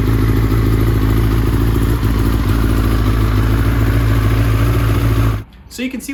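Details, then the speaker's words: 2005 Yamaha R6, reportedly about 12,000 miles, after spark plug replacement for a pinging misfire worse at higher temperatures: crisp idle, slight non-constant rpm typical of a performance engine, no stumbles or pinging; misfire fixed. "actually did fix it the misfire issue at those higher operating temperatures is gone sure you have the little cam the little not stutter but the the non constant RPM of a a higher Performance Engine but there's no pinging"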